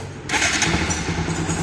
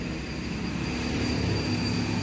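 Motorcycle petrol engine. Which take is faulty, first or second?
second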